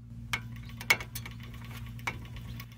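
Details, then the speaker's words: 2004 Dodge Ram 3500 right front wheel speed sensor reinstalled without its shims, hub spun by hand: sharp irregular clicks as the sensor tip strikes the tone ring; shims set the correct gap. "don't know if you could hear that kind of that clicking i thought it would come show up a little better but that's the uh sensor uh hitting the top of the that tone ring"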